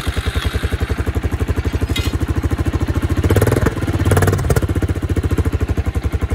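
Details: 1986 Suzuki Savage 650cc single, run after many years sitting, with new coil, gas in carb, oil in crankcase, battery and an Aprilia can as exhaust; even deep thumps and clean throttle blips, runs great.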